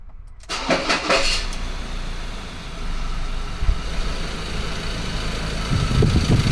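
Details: 2014 Ford Ranger 2.2 L diesel cranks, catches and idles with loose metallic clatter on top that grows with revs; engine rattle, source undetermined.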